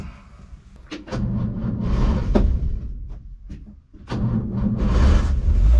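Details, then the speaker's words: 1963 Ford Falcon Ranchero ute, abandoned in a wrecking yard for years, at first start: revs rise unevenly, then the engine sags, stumbles and nearly stalls before catching; suspected lean running from a vacuum leak or blocked carburetor idle circuit. "that's sort of telling me leaning out um maybe maybe a vacuum leak or maybe just the idle circuit is really blocked but either way"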